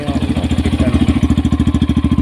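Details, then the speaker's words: Yamaha FZ-S bike at about 9,955 km, before its 10,000 km dealer service: low, choppy putter at about twelve pulses a second with a coarse, split edge; owner says the unclear, cracked sound needs checking, cause unknown. "মানে অলপ ফটা নিচিনা চাউণ্ডটো ওলাই আছে। শব্দটো আপোনালোকে শুনিব, কেনেকৈ শুনিছে। চাউণ্ডটো ইমান ক্লিয়াৰ অহা নাই, চাউণ্ডটোৰ কাৰণে অলপ এইটো ছাৰ্ভিচিঙত গৈ দেখাব লাগিব।"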